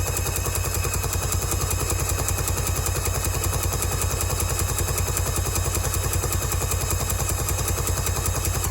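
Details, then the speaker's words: 2003/04 Polaris Barrage fuel-injected jet ski that had long sat unused in weeds, with nearly new plugs and 2-stroke oil in the cylinders, cranked by grounding the black wire. Loud, even chugging about six beats a second runs unbroken: the starter keeps cranking and won't stop. "Should be able to take this black wire, ground it, and the engine spin over. It won't stop."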